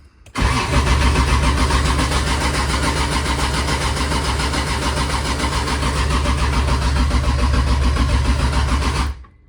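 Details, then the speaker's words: 2JZ engine first start attempt, oil and fuel pressure confirmed: steady even starter cranking for nearly nine seconds with no catch; crank no start. "guys see why it's not why it's not turning on but at least we got both of them"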